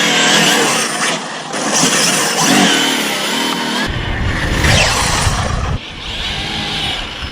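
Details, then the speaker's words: 12S Rovan F5 RC hypercar with Poseidon 600Kv brushless motor and 300A ESC on full throttle: a high, rising whine from all four tyres spinning and ballooning, not a slipping clutch or diff as first suspected. "so while i'm giving it full throttle and i hear that whining noise the winding noise is actually all four tires spinning"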